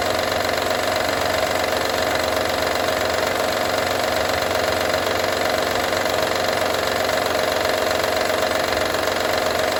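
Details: 2012 Honda Odyssey idling with a steady, fast metallic rattle from the engine bay; cause not identified.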